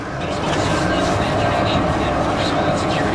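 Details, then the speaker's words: 1995 Chevy Corvette with a 5.7 350 V8 at a salvage auction, jump-started and started with the key: a steady, even low rumble with no knocks or misses, running good. "i wonder if you can still start with the key yeah looks like you can oh wow she runs good"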